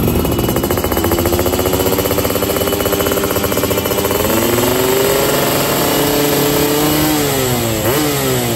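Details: Yamaha F1ZR two-stroke on free-rev roadside test with 145 main jet and NXL racing exhaust, after holed piston from CDI ignition; crisp raspy revs, dry at top end — running lean, carb not yet tuned.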